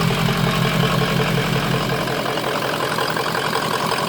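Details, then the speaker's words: 2003 Ford F350 Super Duty 6.0 Power Stroke diesel after refitting the missing oil filter housing anti-drainback valve, which had caused 5–10 psi oil pressure (now near 70 psi): steady, even idle clatter, no knocks, misses or hunting; healthy. "So as you can see, it sounds pretty good, and so that's the only thing that was wrong with it, was that little part right there."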